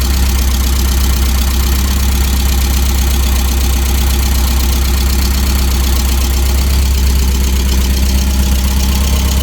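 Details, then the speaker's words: 1988 Porsche 944 race car, first start after months sitting, battery dead and charging: steady deep even idle with low throb, no knocks or misses; runs and idles good, normal. "so we'll just let it sit here for a few minutes and idle up seems to be running pretty good all right so 1988 Porsche 944 Run's good idle's good sounds good"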